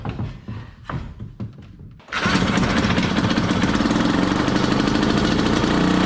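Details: 1968 Ski-Doo Super Alpine snowmobile, 370 opposed Rotax two-stroke, first start in two years at -23°C: sputtering pops for two seconds, then catches into a fast rattling buzz; runs only with choke held on, burnt belt smell.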